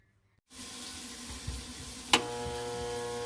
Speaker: that's the humming sound that we do not want to hear